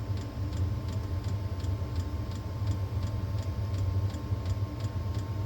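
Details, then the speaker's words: Diesel park heater just refitted after unplugging, first start: low steady burner roar with fuel pump ticking about three times a second; ignition achieved, normal, though it can go back out. "Once you hear that noise, you have ignition. But sometimes it'll go back out."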